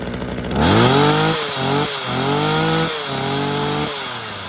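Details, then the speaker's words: Tanaka THT210s two-stroke hedge trimmer, a former non-starter, cold-started on choke after piston check and carb refurb: fires and revs cleanly up and down, crisp pickup, no hesitation or misfire; fixed and running healthy. "uh so there we go it's fixed it runs nice it revs out nice quite a nice hedge trim yeah a nice hedge trimmer that is"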